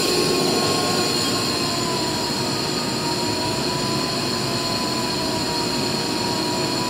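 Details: Used 2005 Boge 40 HP variable-speed-drive compressor, 480 V, 79,131 run hours, 1,909 loaded hours, at max rpm building pressure, about 68–70 dBA: constant loud airy roar with steady high tone, no irregular knocking; normal loaded full-speed running.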